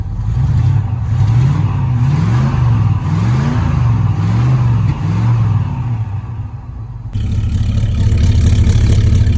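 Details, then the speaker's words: Holden HQ ute V8 revved after exhaust refit and alternator wire fix, revived after 20 years: deep, even burble climbs and drops smoothly through repeated blips with no knocks or misses; runs strong. "Oh, she's bad. She's bad. Damn it, it runs so good."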